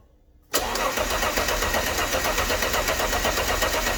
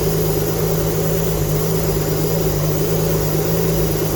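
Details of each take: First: Alfa Romeo GTV with donor engine, first crank after 18 years, engine harness disconnected to circulate oil: starter spins evenly at about four compression beats a second, no grinding or clunks; normal cranking. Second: Alfa Romeo GTV V6 on first start with a replacement engine after 18 years off the road, manifold gasket not yet fitted: a rough, chuffing run that revs up, blowing at the manifold; exhaust leak from missing gasket.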